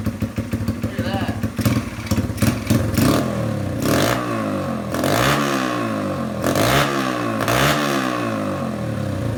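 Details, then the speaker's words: 1982 Honda XR80 after tank sealer contamination, run on choke with a refitted carburetor: repeated small revs rising and dropping back cleanly with no stumble; runs much better than before; normal running. "that that thing runs way better okay so this thing's running"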